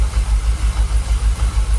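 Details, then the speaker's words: Jaguar XKR, dormant for 10 years, after fuel pressure was confirmed at 45 PSI: it idles at about 800 RPM with a low, even pulse and no stumbles or rocking, much smoother than before. "What are we idling on? About 800 RPM. Actually, to be fair, sounds alright, doesn't it?"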